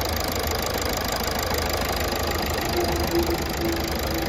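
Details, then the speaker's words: Toyota Etios diesel, previously misfuelled with petrol, after all four injectors repaired and back leakage fixed: steady even diesel clatter at idle, no misses or hunting; no more long cranking, runs perfectly. "এখন আসছে গাড়ি রাউন্ডে নিচ্ছে না, আবার বন্ধ কর মার। দেখতেই পাচ্ছেন এখন গাড়ি পারফেক্ট।"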